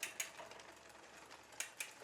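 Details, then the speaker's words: New Poseidon Triton road bike build, front derailleur in small chainring and small cog, first adjustment: quiet drivetrain with a couple of light scrapes per pedal turn; slight chain rub on the outer cage plate, position judged good. "so I've actually got just a tiny bit of rub like at a couple of times through the pedal stroke so the position at this checkpoint is actually pretty good"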